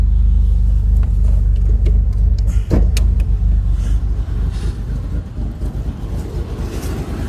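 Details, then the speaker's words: Ford pickup just after a self-installed new fuel pump (relay and power to the rear had been checked and were fine); it cranks right up but idles rough with an uneven, lumpy beat and the engine shakes a little; cause not pinned down. "run a little rough, but we got it cranked up. New install. Engine shaking a little bit."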